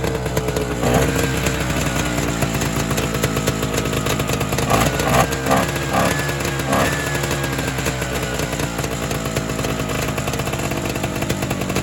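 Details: Evinrude Bobcat 25hp two-stroke snowmobile, sat 20+ years, cold start after a fuel shot; raspy buzz surges and sags with brief rev bursts, rough running; owner suspects an air leak or hardened carburetor diaphragm.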